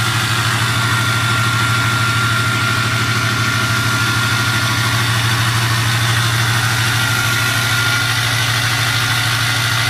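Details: 2006 6.0 diesel with an 03 turbo at high idle: a steady diesel at raised idle with a constant high whistle over it; normal turbo spool whistle.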